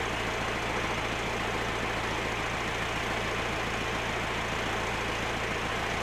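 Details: Massey Ferguson 50HX backhoe loader, 4-cylinder Perkins diesel, hydraulic pump reconnected to the engine: loud steady drone under load with no knocking, groaning or surging; engine and hydraulics work properly despite leaking arm cylinders.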